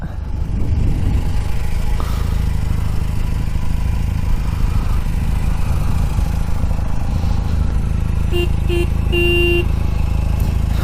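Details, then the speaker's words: 1982 Honda CM450 twin revived after about 10 years sitting, warming up on choke with a loose, uneven idle beat, then two short beeps and a longer thin, quiet horn note; the horn is weak. "pretty weak horn that's pretty funny though"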